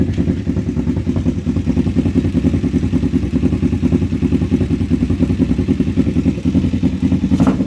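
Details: Kawasaki Vulcan 500 twin after carb kit, warmed up to temperature in neutral with oil leak burning off: steady idle with loose, rapid clatter over exhaust beat, likely top-end noise.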